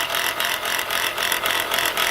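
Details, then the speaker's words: Chrysler Pacifica with the engine running: a rough, raspy whir with a rattle pulsing about four times a second; the alternator bearing appears shot, with a bouncing pulley and brown residue around it. "all right guys from the looks of this and the sound of this look like the alternator bearing is shot"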